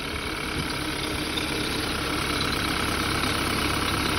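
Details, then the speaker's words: BMW 328i engine idling and revved under a strong, steady airy hiss that grows louder; the crankcase vent (PCV) valve diaphragm is suspected torn, leaking vacuum; fixing it stopped the whistle. "Válvula do anti-chamas, pessoal, ó. Diafragma. Deve estar furado e dá esse barulho de chiado, ó."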